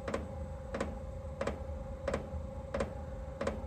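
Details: Diesel parking heater on test power supply: crisp ticks about one and a half per second over faint hum as the fuel pump pulses while the supply voltage sags.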